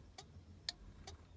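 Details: Austin Allegro 1300 SDL with the hazard switch circuit restored to normal from a bypass loop: sharp, even relay clicks roughly every half second; the hazard flasher relay works and all hazard lights flash.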